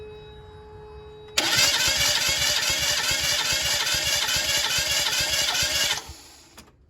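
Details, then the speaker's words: 1991 Mazda Eunos Roadster (MX-5 Miata) 1.6L compression test, cylinder 1: starter cranks evenly about four beats a second for roughly four seconds with steady compression pulses; reading almost 120, good. "Let's see what we got. Oh, we almost got 120 there. So that looks good."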